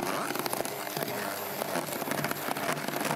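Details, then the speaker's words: Stainless steel stick-blender mixing wand on slower speed making a smoothie with ice: a steady motor whir with rapid irregular clicks as the ice is chopped. Normal blending. "hear that clicking noise i did that's the ice all right"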